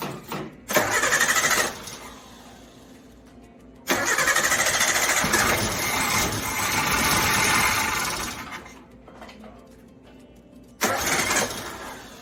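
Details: Carbureted Suzuki Samurai (SJ410/SJ413) that broke down, after the carb power valve was replaced: three long bursts of steady cranking at about three turns a second, never firing. Still won't start, cause unknown. Crank no start.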